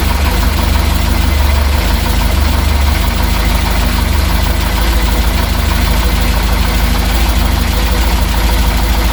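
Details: Reliant Supervan 3 small petrol engine on a fresh start after the head was re-torqued and coolant topped up: loud, steady idle, even beat with no misses or knocks; runs fine.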